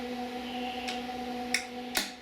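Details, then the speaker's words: Long-stored Onan diesel generator, battery charged, oil pressure confirmed: sharp glow plug relay clicks over faint steady hum; glow plugs confirmed working, normal relay operation. "you can hear the relay for the glow bars and you can see flow bar does work"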